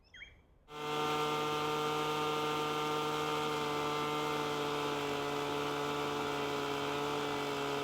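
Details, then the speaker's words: Two-stroke leaf blower after high-speed carburetor tuning with tube blocked to load engine, set just at four-stroke breakup: steady high-pitched run with slight burble; correct high-speed mixture setting. "And now, when we unblock that tube and we go to full throttle, it will run smoothly, two-stroking at full power and optimally once again."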